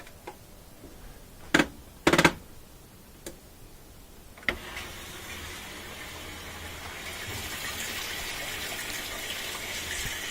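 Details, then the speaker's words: Kenmore (Whirlpool) top-loader after the lid switch was zip-tied back into place: a few clicks, then a strong, steady, building hiss of warm water filling; inlet hoses and screens are not clogged, and the fill is normal. "that volume of water coming in on warm is really good means that the inlet hoses aren't clogged at all this there's nothing in the screen that's just cold it's pretty strong volume"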